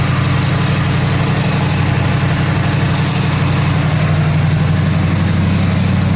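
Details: 1977 Mercury Marquis 400M V8 just after tune-up (new plugs and wires, distributor corrosion cleaned, valve cover gasket redone): deep, even idle with steady low rumble, no knocks, misses or hunting; runs healthy.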